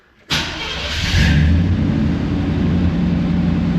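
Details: 1987–95 Chevy 350 TBI after installing new aftermarket idle air control valve and relearn procedure: cranks briefly, catches cleanly, settles into steady even idle with no stumbling or hunting; normal start and idle.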